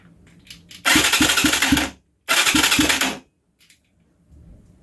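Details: Huaniao HN125 Chinese 125cc motorcycle, believed in neutral: two bursts of steady starter cranking with even compression chuffing, never catching; cranks but won't start, starting fluid tried next.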